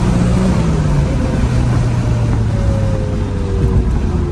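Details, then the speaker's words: Nissan R32 GT-R after new Koyo radiator, Godspeed Mono Max coilovers and alignment, test-drive pull, driven gently: clean, smooth rising note, no misses or rattles; rear wheel bearing noise suspected elsewhere; normal running under acceleration. "That feels great. Still babying it too."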